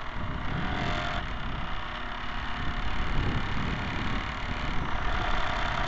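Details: Camera barge first test run with a two-axis gimbal on top. A constant harsh, uneven buzzing rattle over the motor drone comes from the rigid dog-bone motor-shaft couplers; the fix planned is flexible hose couplers.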